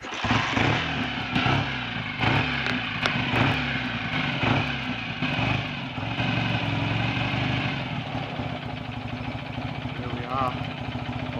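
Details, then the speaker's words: Rebuilt BSA A65 parallel twin, hot after test ride, original oil pressure warning switch refitted in place of gauge: slow, even low tick-over with no standout knocks or rattles, oil light stays off; normal hot idle. "slow tick over with i promise you a hot engine and the oil pressure light is off"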